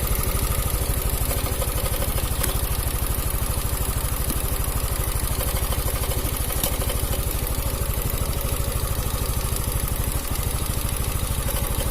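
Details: Italian 250cc automatic scooter, revived after not running: steady raised-rev engine with fast, even metallic "krek-krek" rattle over the exhaust, identified as cam chain noise; charging voltage around 14 V, normal.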